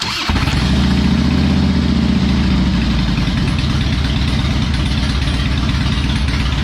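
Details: Harley Electra Glide after work on spark plugs backing out, headlight wiring and the air filter: the V-twin fires up cleanly and settles into a steady, even potato-potato idle with no misses or knocks, running better.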